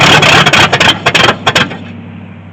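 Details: 1983 Chevy C10 squarebody with Edelbrock carb, mixture screws reset to 1.5 turns out: loud uneven firing about a second and a half, then sputters out; dies when hand-poured fuel runs out, needs an electric fuel pump.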